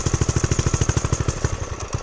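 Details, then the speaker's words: Homemade turbocharged pit bike, early test ride: quick even thumping turns ragged and fades as the clutch starts to catch; engine stalls on clutch engagement. "see, it just, right when you start getting it, the catch on the clutch, it just dies."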